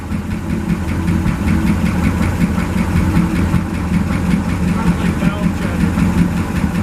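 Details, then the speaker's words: 1963 International work truck, 549 V8 idling on the gas tank through the old carburetor, no water: deep, steady idle with no knocks or misses. A small noise possibly from the transmission or clutch area; belts shredding. "no water but that's it idling on the gas tank through the old carburetor I would call that a"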